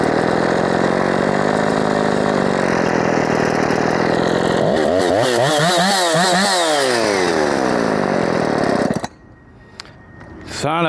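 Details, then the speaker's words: Husqvarna 357XP chainsaw after carb work, all new parts, in a cut: screams then pitch surges up and down before cutting out; air leak suspected but unconfirmed. "a I know you guys will say sounds like it's got an air [Music] leak and perhaps it [Music] does but it's all new"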